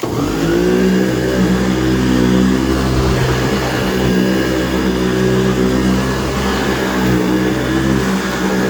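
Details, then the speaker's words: 23-year-old AirVac AV3500 central vacuum running: steady, even motor hum with a smooth mid-pitched whir, no scream or grind; motor has quieted down, bearings sound healthy. "works pretty good good power and the motor has quieted down a little bit so you can't you can barely hear it which is good"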